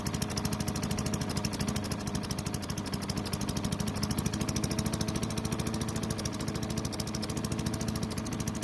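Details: Craftsman chipper vac with Tecumseh engine, long stored, gives an even, rapid exhaust beat at constant speed, no over-revving as before (suspected stuck governor); a great running engine despite low compression.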